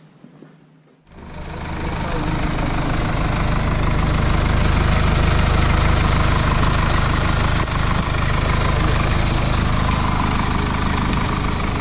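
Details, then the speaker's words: 2017 Mercedes E220d 2.0 diesel (654 engine) after camshaft rocker arm replacement: catches after a second and settles into a steady, even idle; knocking noise gone. "as you can see everything is now running perfectly no knocking noise coming from the engine"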